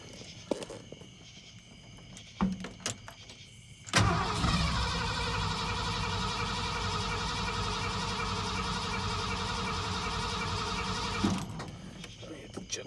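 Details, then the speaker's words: 1979 Ford F-100 Ranger with a 302 V8 and carburetor, after replacing the fuel filter: cranks briefly, fires right up and settles into a steady, even idle with no misses or knocks. "look at there new fuel filter fired right up"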